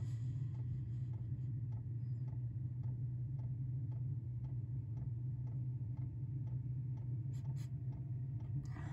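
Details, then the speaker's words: 5 kW Chinese diesel heater in a 1995 Chevy Astro camper van, trying to light on first start: soft, even ticks about twice a second over a low fan hum. The dosing pump is pulsing normally, though the owner suspects the line wasn't fully primed. "okay i'll get back to you when that comes on okay the fuel pump just came on"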